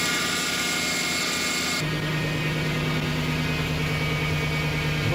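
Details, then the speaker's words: Lexus LS400 after a second ECU repair (capacitors replaced, then a further fault fixed): brief cranking, then it catches cleanly and settles into a smooth, even idle with no misfire or stumble while warming up. "now the car's been running for five minutes it's idling down to its low idle it's coming up the temperature and you can hear nothing weird and see nothing out of the ordinary"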